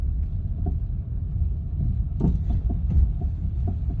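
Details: BMW F30 engine running: low rumble with irregular dull knocks every few tenths of a second; knock source unknown.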